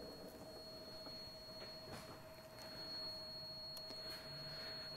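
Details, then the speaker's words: 2005 Toyota Prius that shut off while driving and would not start, tested with a buzzer across a sub-15 A fuse: after the running engine shut off, a steady high-pitched buzz over a faint hum signals the fuse/breaker has popped. "so that's the buzzer saying that this thing popped so I'm gonna turn that off"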